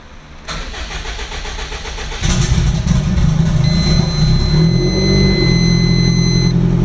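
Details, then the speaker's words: Subaru GC8 cold start tuning at 86 degrees with cranking fuel cell at 8.6: brief cranking churn, engine catches and stumbles unevenly before settling; too little cranking fuel, next try 10. "I don't think that was very good. Alright, so we're at 8.6. That didn't seem like it was enough."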